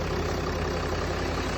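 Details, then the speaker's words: Land Rover Range Rover Sport 3.0 diesel after repair of hard engine knock; smooth, even idle with steady low rumble, no knock or tick; engine now working properly, normal idle. "что людям сказочно повезло машина работает исправно отдаём"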